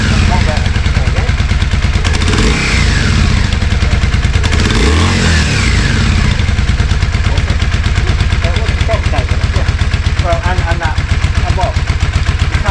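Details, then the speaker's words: Yamaha Virago 535 V-twin after correcting the throttle cable routing: steady even beat with clean throttle pickup and no misfires or popping, now running smooth. "Yeah, it's a lot better. Sounds nice."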